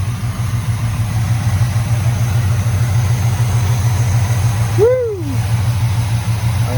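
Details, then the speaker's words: 1985 GM square body truck, revived after sitting 10+ years, warm idle with good oil pressure and charging: a deep, even idle with steady low pulses and no misses or knocks. It runs very smoothly. "awesome boy this is really purring the more it runs the smoother it gets"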